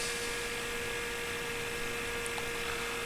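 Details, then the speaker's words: FPV plane in flight with a pan-tilt antenna mount that was never lubricated: thin steady mid-pitched buzz under wind rush; servo labouring against friction in the dry, binding pan-tilt mount. "you can hear that server working pretty hard"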